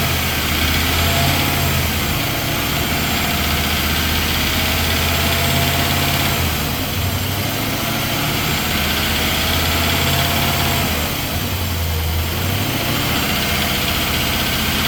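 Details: 2020 Nissan Titan SL 5.6L V8 cold start: fast even ticking clatter over a deep rumble, diesel-like; bottom-end-sounding knock that slowly fades after a few minutes of driving, cause unknown.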